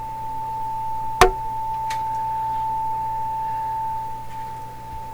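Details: 1920s Westinghouse oval cone loudspeaker for a 1928 RCA Victor Model 28 radio, fed by a signal generator with the mic right at the speaker: after one click, a clean, steady mid-pitched tone with no buzz or rattle; normal reproduction.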